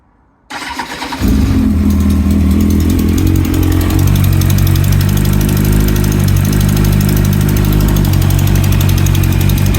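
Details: 2009 Kawasaki ZX-10R starting and settling into idle, cold or hot start, with a light, quick ticking/clicking riding over the exhaust beat.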